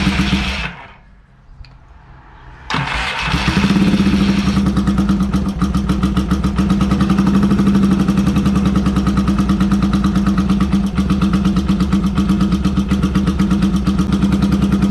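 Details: Yamaha XS650 after valve adjustment and carb cleaning, being set up on the right-hand carburetor with revs raised. It stumbles, then holds a fast, slightly uneven idle on throttle, running on one cylinder with the other plug grounded.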